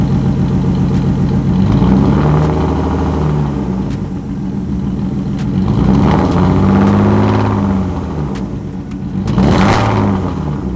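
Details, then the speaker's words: BMW E36 328i M52 with straight pipe, recorded from outside the car at idle: uneven stumbling idle with a loping beat and light clatter, a beating knock; misfire suspected to be a coil pack, with over-fueling noticed, not yet confirmed. "I'm gonna let you hear the engine mist from the outside so you can add a bit more distinctly because the lift is also making a noise so it sounded like a beating knock"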